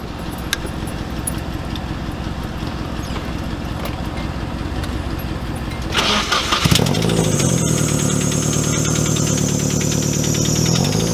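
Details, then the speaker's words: First startup after re-welding a homemade exhaust; cranks and catches into rough idle with loose fluttering puffs from an exhaust leak. "Exhaust leak or hot head. That's an exhaust leak. Yeah, definitely. I can hear it fluttering."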